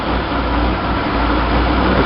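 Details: 1966 Chevy sports van, stock 230 six with HEI, Weber 32/36 2bbl carb on stock manifold, idling in neutral with camera on carb; fast steady idle whose drone rises as throttle closes, a sign of vacuum leak causing high revs.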